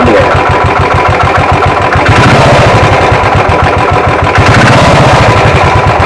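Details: Royal Enfield UCE single-cylinder engine, never opened, at start-up: loud, heavy pulsing knock about three and a half beats a second; crankshaft bearing worn, and if ignored the cylinder will be damaged.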